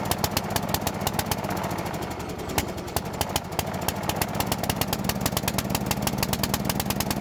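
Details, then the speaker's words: Bolens riding mower that sat a couple of years, old cleaned carburetor, choke off, in neutral with the PTO off, after flooding on start: fast, uneven putter that sags and won't pick up cleanly. Bogging; a new carburetor is ordered. "I still think we're going to put a new carburetor here guys I think that's going to be see how bogging yeah we need a new carburetor"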